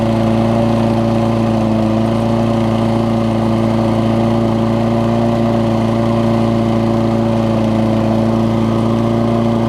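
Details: Toro self-propelled mower with Kohler engine, after cleaning spark plug with carb cleaner restored spark: steady even note at constant speed, smooth hum, no misfire or stumble; runs healthy.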